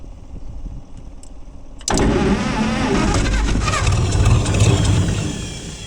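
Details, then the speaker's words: Gleaner combine six-cylinder gas engine, cold start on choke after a carb rebuild and straightened pushrods; the tank still holds some sludge. Catches and runs lumpy, irregular beat; not firing on all six, misfire, cause unknown. "something don't sound like it's firing on all six but it's firing on something"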